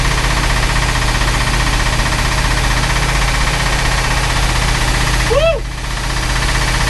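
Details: Chris Craft Commander 410 port 454 marine V8, first run after ten years idle, with a rebuilt carb and timing at 8° BTDC: deep, steady, even drone with no knocks or misses; runs fine, with an exhaust manifold water leak.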